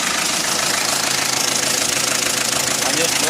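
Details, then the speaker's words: Panther 2.3 diesel before tune-up/adjustment: harsh, uneven, loping clatter at idle at about four beats a second. Rough, out-of-adjustment running. "Oke ini Panther 2,3 sebelum disetel ya suaranya"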